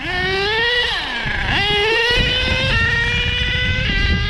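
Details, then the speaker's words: HPI Savage XL K5.9 nitro RC truck after transmission work, previously stuck in one gear: the screaming engine climbs under throttle and the pitch drops sharply three times as each gear engages; the three-speed now shifts, though the timing still needs adjustment. "that 3 speed sounds gorgeous. I don't know if something could sound gorgeous, but that's what it sounds like."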